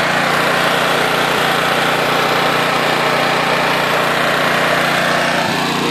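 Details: Honda EX800 generator (800W max, 700W continuous) after a tune-up and governor adjustment toward 60 Hz, tested under load: a steady, even high-pitched buzz with no misses, surging or knocking. Normal running under load.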